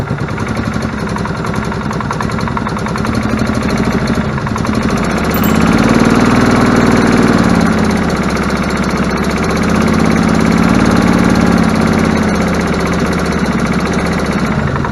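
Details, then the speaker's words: Gas Club Car DS golf cart after new belts and filters: it starts sluggishly and runs choppy, surging and sagging every few seconds. A faulty carburetor is suspected and will be pulled and cleaned. "all right guys so it's alive I think we're going to have to pull the carb and clean it uh seems a little A little sluggish there trying to start"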